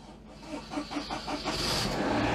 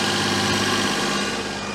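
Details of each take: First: Daihatsu Charade after engine swap, cold start: catches after a few cranking pulses, then settles to a smooth, steady fast cold idle around 1500 rpm; brief rattle as oil pressure built, then none; running fine. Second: Daihatsu Charade after an engine swap, air filter assembly not yet properly refitted: idles high and steady with a hollow, sucking hiss over the engine note; cause unknown, owner suspects the intake manifold gasket (no new gasket fitted), an intake vacuum leak.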